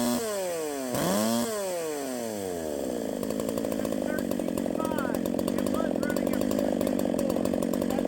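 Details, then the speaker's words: 372XP clone chainsaw with flywheel turned a full key's width of ignition advance, revving in wood: rough burbling crackle at top speed instead of a clean scream; too much advance, will back timing off. "too much Advance we're going to take some out too much Advance that's when all that noise is up top that's just like the echo 590 whenever I Advanced it it was too far I couldn't get it to stop four stroking"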